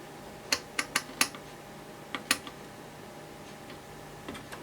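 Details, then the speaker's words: Tektronix 851 digital tester under repair, one range faulty, manual ranging: bursts of sharp dry relay clicks in an uneven pattern that changes every time; owner suspects the range relay rather than the switch. "Yeah, I'm pretty sure it's relay. Because you hear the relays clicking and it's not the same every time, it's always changing."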